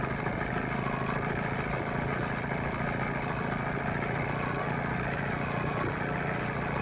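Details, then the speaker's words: 9.9–15 hp Evinrude/Johnson two-stroke outboard after fuel pump and carburetor rebuild, during low-speed idle mixture screw adjustment; previously rough, now a steady even idle with no stumbles, smoothed out considerably. "now smoothed out considerably in between turning this you can also just give it a little bit of gas to equalize everything that's going on in the carburetor"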